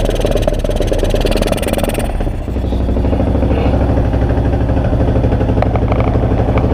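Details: 2002 Yamaha XT600E single-cylinder revs then drops to an idle with uneven, stumbling beats and skipped pulses: engine misfiring.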